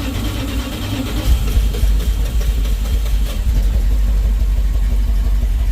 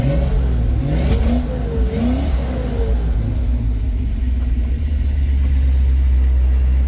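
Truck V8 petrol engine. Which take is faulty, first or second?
first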